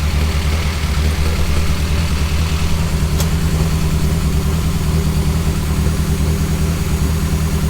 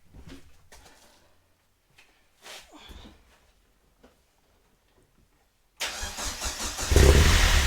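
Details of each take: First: Nova with a new 3-inch exhaust, idling about 1000 rpm and running very rich, good oil pressure, noisy head, occasional misfire pops; deep, steady idle rumble with no hiss or puffing ticks, exhaust not blowing anywhere. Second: Vauxhall Nova on first start with new stainless exhaust: after several sputtering tries it catches and rises into a rough, loud idle; needs throttle to start, lacking cold-start enrichment; runs very rich, 10.0 on gauge.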